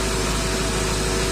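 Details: 2006 Ford F350 6.0 diesel that had a crank, no start: after debris stuck in the ICP pressure regulator, ICP reads 1300 desired and 1300 actual, regulator at 39-40%. Steady, even idle with no knocks, misses or surging. Normal idle.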